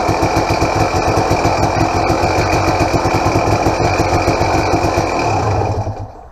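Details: 2007 KTM XCW300 two-stroke, totally cold and on choke: an uneven popping idle at about three beats a second with a light mechanical chatter on top. Owner suspects the unrebuilt power valve needs a bushing.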